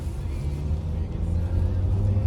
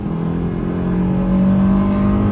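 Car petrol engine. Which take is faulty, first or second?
second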